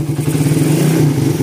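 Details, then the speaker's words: 2014 Suzuki Satria FU, 66 mm bore-up with porting and a new cam and tensioner: revving gives a busy mechanical rattle and rough whirring over the drone. Noisy crankshaft bearings; the head is fairly quiet thanks to the new cam. "Untuk mesinnya lumayan ramai ya. Bearing mesinnya lumayan ramai."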